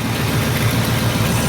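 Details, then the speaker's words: Abandoned 1968 Ford XL, 390 Z-code big block, with new 4-barrel carburetor, timing chain, points, condenser and exhaust manifold gaskets: warm low idle with a galloping bump-bump-bump unevenness and a slight front exhaust leak. "Something sounds like it's galloping."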